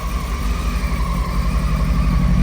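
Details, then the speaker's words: Honda Hornet (919) engine in a minitruck, about 3,400 on the odometer, cold day, old gas suspected: cold idle with lumpy, uneven low thump and dropping beats; cold-start misfire, cause unconfirmed. "quiet though see it's like it's missing it first is that choke out"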